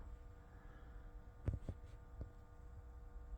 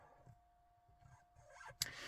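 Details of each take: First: Jaguar XK (X150) cabin humidity and temperature sensor aspirator fan behind the steering wheel, faint steady buzz over a low hum with handling clicks; fan vibration through its mounting, and slackening the screw reduces it. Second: Jaguar XK (X150) cabin humidity/temperature sensor aspirator fan behind the steering wheel, after being worked on. It is at least 50% quieter, now a very faint, steady high buzz. This is normal operation.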